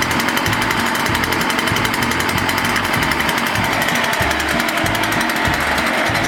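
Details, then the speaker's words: Rebuilt, previously burned-up Echo PB-500T backpack blower two-stroke after reassembly; uneven low surges about three a second, stumbling instead of holding steady. Poor running from a faulty carburetor needing adjustment of the low-speed screw. "Sounds like it needs a carburetor adjustment. Gotta get tools."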